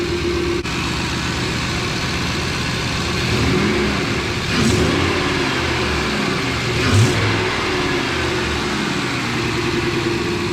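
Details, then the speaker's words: 2003 Ford F-150 5.4 L, after idle air control valve replacement: engine eases down from high idle to a steady, even idle with no hooting or hunting; previously idle dipped, surged or died; now much smoother. "Well, definitely no hooting noise. Seems to idle a lot smoother."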